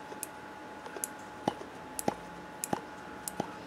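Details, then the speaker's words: HPI Nitro Star 3.0 (.18) nitro RC engine, crankshaft turned by hand before removing case cover: sharp light clicks about every half second from the spring-loaded crankshaft setup, probably less drag but noisier; normal for this design. "um there actually it's probably less drag on on the crankshaft i'll show you that but it's a lot noisier so i don't know if you can hear that clicking noise"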